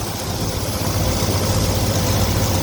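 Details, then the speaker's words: 1982 Ford F-150 after new carburetor, new valve cover, new fuel pump and valve adjustment: steady, even low rumble at idle with no top-end ticking or tapping; running smoothly, normal idle. "and man that sounds a lot better it's actually running steady now you don't hear the valves we went and adjusted the valves while we had it open"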